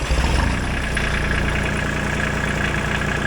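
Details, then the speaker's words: Ford 1520 tractor with a 1.3 L mechanically injected Shibaura three-cylinder diesel, about 22 hp at the flywheel. Just after start-up it settles into an even, low idle with a steady clatter at about 1100 rpm; sounds nice, a healthy idle. "Sounds nice. Now these Shibora engines, they built them to rev much higher than the older tractors, but the hydraulics were so strong in these units. You see we're idling at about 1100 RPMs,"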